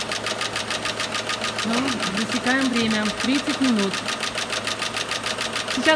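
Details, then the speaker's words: Renault Megane 2 engine at cold idle after additive poured in: fast, even metallic knocking without letting up; teardown showed worn shafts, bearings and scoring on crankshaft, engine considered dead; crankshaft bearing knock. "проблема стуки в моторе по разбору показала изношенности валов и подшипников задели на коленчатом валу мотор труп"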